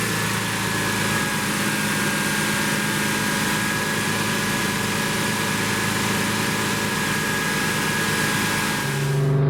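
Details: 1972 Plymouth Roadrunner 383 Magnum V8, after sitting 15+ months, during cam break-in: steady raised idle with an even throaty pulse, no knocks or ticks; normal fast idle.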